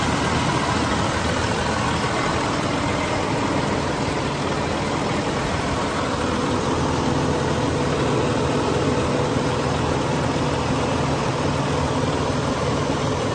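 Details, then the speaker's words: 2012 Western Star 4900FA with a DD15 diesel (475 hp, 13-speed manual) at high idle. Steady clatter and even drone at a consistent speed, no misses or knocks. Normal high idle. "Now, let's go out and have a listen to the engine running. I'm going to idle it up. There's our idle."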